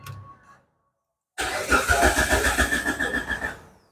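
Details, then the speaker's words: Gen2 car that would not start, after replacing the immobiliser transponder chip, immobiliser module and ECU. After a short silence the starter churns with quick even pulses, about three a second, then the engine fires and runs. A healthy start. "Alhamdulillah kereta ini dapat dihidupkan dan kita akan hidupkan kereta ini"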